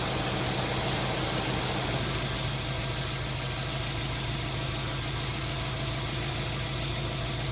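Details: 1999 Subaru WRX GF8, EJ205 turbo flat-four, warm after a coolant flush, cap on and system under pressure, running until the fans cycle: even, steady idle with a constant low throb, no miss or knock; normal warm idle.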